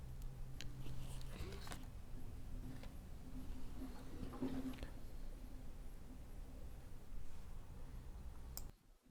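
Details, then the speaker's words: LG top-load direct-drive washer WT7800CW after agitator repair: low even motor hum with soft tone and light clicks as it senses the load weight normally before filling the basket with water. "So now it's done sensing and it's going to place the water into the basket."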